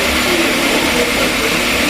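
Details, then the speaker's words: Car after brake pad replacement for a squeaky, squelching noise, engine running in gear with the wheel spinning: steady even hiss, no squeak or squeal, brakes run quiet. "Yep, the noise is gone, you cannot hear it whatsoever. See the tyre's spinning? You can't hear that noise now."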